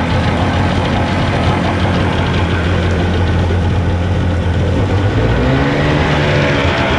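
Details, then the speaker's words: Evinrude/Johnson 50 HP two-stroke outboard on a Sea Nymph boat, after sitting long and a tune-up, just cold-started: steady idle, picks up slightly with throttle, settles back smoothly to idle; normal idle. "I love how it returns back to that Idol guys"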